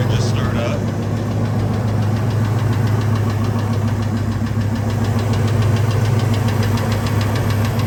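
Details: 1999 Ford F-250 V10 (VIN S) idling after leaking spark plugs were fixed. A light, fairly even tick at three to four per second comes and goes; cause not found, so the oil pan was removed for a bearing check.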